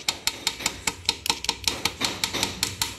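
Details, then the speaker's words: Yamaha Fazer 150 with noise at the rear and front wheel; sharp, tinny, unevenly spaced clacks two or three a second as the chain strikes the swingarm chain guide slider. "vocês estão vendo esse guia da corrente aqui ó tipo um batedor né olha o que que acontece ó se eu se a corrente bater nele aqui ó"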